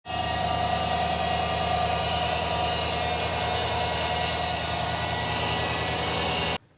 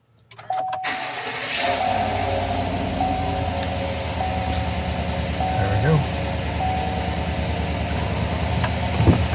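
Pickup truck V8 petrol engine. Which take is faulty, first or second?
first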